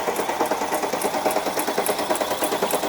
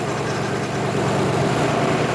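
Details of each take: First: Supercharged Mercedes C63 AMG after rebuild with new lifters and cams, cranking without fuel system connected; fast light even ticking about three per second, likely fresh lifters not yet pumped up at first start. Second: Supercharged C63 AMG, after engine build and supercharger install, first start: loud, steady V8 idle with even low rumble; lifter noise heard only a split second then gone, no top-end ticking; healthy normal idle.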